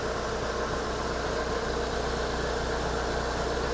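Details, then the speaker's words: 2010 Hyundai Avega GX, odometer reading 109, idling after about 10 minutes of warm-up, before an oil change and engine flush: a smooth, even idle with a faint low rumble, slightly rough but normal. "ee sedikit kasar sedikit ya. Tapi enggak sih, enggak kasar-kasar ya normal aja."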